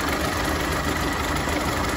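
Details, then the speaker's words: 1930 Ford Model A, 201 cubic inch four-cylinder, 6-volt positive ground, three-speed manual, at idle under the hood: a smooth, steady low idle with an even beat and no knocks or misses; it sounds like a sewing machine and runs great. "definitely it's got a nice sound to it the engine runs great and some drivers from the hook just listen to that thing it sounds like a sewing machine"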